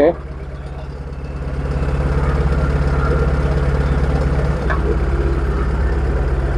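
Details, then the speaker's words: Proton Wira petrol engine, warm after about 5 minutes driving, stumbling/surging at speed: idles uneven and pulsing with brief stumbles; ignition suspected, coil seen arcing (leaking spark) when touched, causing misfire. "Kereta Wira ni ada masalah semputlah. Bila kita bawa laju ataupun bawa dalam 5 minit, enjin dah panas, dia macam jing semput eh."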